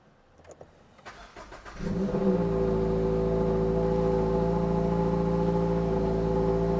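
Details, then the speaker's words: Turbocharged Subaru BRZ (new generation) with headers, wrapped downpipe and catch can, on its first cold start: a couple of seconds of cranking, then it catches cleanly into a steady, even cold idle. Normal cold start. "so so sound is not too loud when you rev it Mal let's wait for the engine to heat up so let's do a sound check oh you hear that turbo whistle sounds good"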